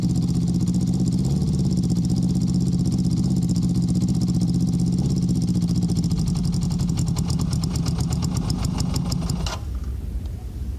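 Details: Honda CB650, hot, after fitting Ricks Motorsports CDI units to cure a cylinder 3 misfire: an even idle with every cylinder firing and no skipped beats, then shutdown; the CDI was the issue.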